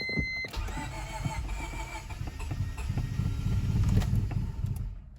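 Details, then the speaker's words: 2000 Honda Civic D16Y7, crank-no-start: steady starter churning at about three to four turns a second, engine spinning without catching; the owner considers fouled plugs but thinks the fault is probably in the distributor. "okay so i'm gonna try to get maybe a set of plugs and throw in it real quick and i think we're on to something here so it's probably in the distributor"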